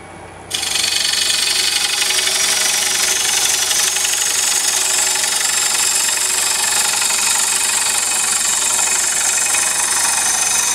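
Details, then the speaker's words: Hollowing a single-block bowl on a lathe: harsh hissy cutting with a rough rapid knock, about four a second, as the gouge bevel bangs instead of cutting enough edge. "did you hear that banging I was beating the bevel right through here I wasn't cutting enough edge"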